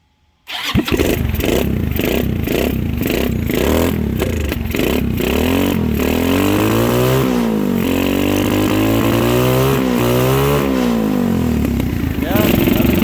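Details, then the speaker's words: 2006 Zhejiang Kangdi 250cc kart, single cylinder, held at open throttle: catches and revs unevenly with irregular pops back through the intake; a timing problem is suspected, to be checked at top dead center and possibly fixed by retiming the cam. "You hear it popping back through here and not through there."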